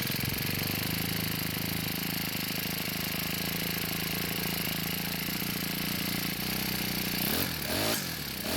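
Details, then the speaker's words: Cub Cadet four-stroke trimmer, after turning the hidden carb screw half a turn counterclockwise to richen it: steady even buzz, brief rise with throttle, then settles. Stays running and sounds good. "so this time it stayed running and it sounded pretty good too"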